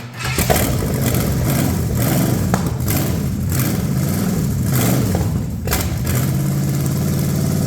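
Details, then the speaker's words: Cheap Ford 460 V8 revival run, old lawn mower tank gravity feeding original mechanical pump: deep even burble, smooth revving, no smoke, ticking or clatter, good oil pressure, 40 lb once warming; normal idle and revving. "Man, that's awesome. It's not smoking. No clattering or making funny noises. Great oil pressure."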